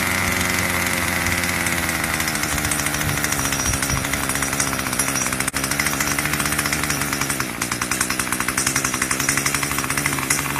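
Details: Craftsman 25cc two-stroke weed eater that wouldn't stay running, after carburetor tune: steady high buzz holding even speed without surging or stumbling; normal running.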